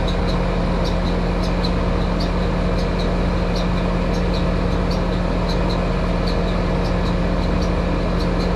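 Steady motor hum under a sharp repeating tick several times a second, worn fan motor bearings on the outdoor unit.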